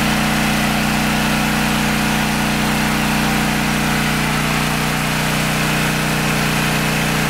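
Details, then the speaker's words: Briggs & Stratton 8 kW tri-fuel generator running on propane under heavy load starting an AC unit: constant even drone holding pitch, no surging or misses, much smoother than on gasoline, which still needs work; smooth running under load. "underload much smoother much much smoother I need to work on it I need to get it running off of gasoline as smooth as it does on propane"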